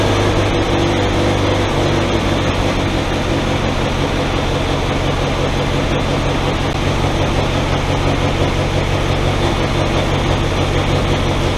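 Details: 1964 Willys CJ5 Jeep four-cylinder fired up after replacing water pump and thermostat (engine had run too cool), coolant nearly full: steady low rumble with even beat, no knocks or squeals, idling smoothly and healthy.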